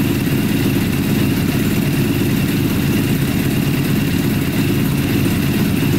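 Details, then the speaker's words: Custom Yamaha Banshee quad with a 600cc sport bike engine, first start after all plugs showed spark and fuel was seen flowing through the filter: uneven, lumpy idle with only the two outer cylinders running; carburetors to be checked. "all right looks like only two cylinders are running the two outer cylinders are running"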